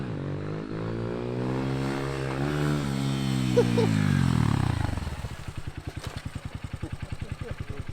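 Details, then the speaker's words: Honda XR150L after an intake mod and rejetting from a 105 to a 115 main jet, with the spark arrestor already removed. Revs climb cleanly and drop back to a steady idle with no stumble. Off-idle is fine and the former top-end rattle is gone. "Off idle seems fine. Sounds good. I didn't hear any of the rattle on the top end like you used to."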